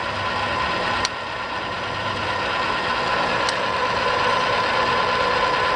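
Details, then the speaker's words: Arboga RLM3508 radial arm drill (40" x 9", 4 feed rates .004–.016") with spindle feed engaged and feeding down under strong feed. Steady whir with a couple of sharp clicks a few seconds apart as it clicks into each gear range; normal feed gearbox behaviour. "Feeds are very strong. I don't know if you guys can hear it, but every time you hit a gear range, it'll click"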